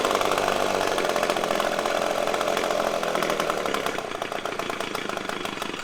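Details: Echo PB-250LN handheld two-stroke blower after fresh fuel mix replaced old fuel: buzzy note holds, then sags and thins out near the end instead of picking up; still bogging.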